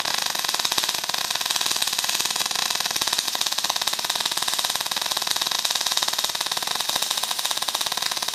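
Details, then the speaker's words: MIG welding with 1mm wire, wire speed too fast and heat too cold, not adjustable: harsh, rapid crackling and popping of a stubbing arc, later seeming to slow down by itself. "Flipped it over and told her that it's got 1mm wire in it, and still wire speed too fast and too cold."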